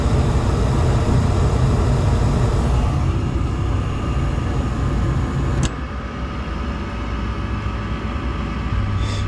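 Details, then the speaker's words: Gas furnace after cleaning a cobweb from the burner orifice that may have blocked flame crossover: steady low roar, no booming or popping; burners lit evenly, normal ignition. "that was successful. Looks like we got some dust out of that burner too."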